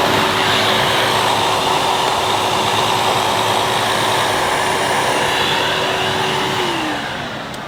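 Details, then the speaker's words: 2005 Numatic Edward Turbo vacuum with turbo electric head on carpet: steady vacuum roar and motor hum that drops in pitch and fades as the head cuts out intermittently; a loose connection is suspected, either in the head or the switch. "I think there's a little loose connection somewhere, so I don't know whether it's in the head itself or it's something to do with the switch"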